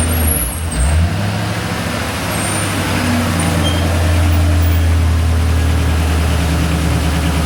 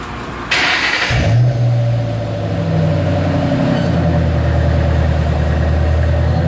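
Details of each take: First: 2008 Ford Mustang GT V8: deep idle with an uneven, stumbling pulse in the exhaust beat, then settling lower; a cylinder misfire, most noticeable at higher rpm, being traced by swapping ignition coil packs. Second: 2008 Ford Mustang GT V8 after swapping ignition coils between cylinders six and two to trace a misfire: catches, revs and settles into a smooth, even run with no stumble; no misfire, running clean.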